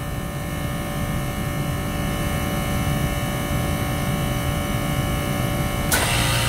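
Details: 3-phase scroll compressor (10 tons and above) with Emerson CoreSense motor protector, restarting after module reset by removing power: even, steady low hum with constant motor tone, no clicking, rattling or labouring; running normally.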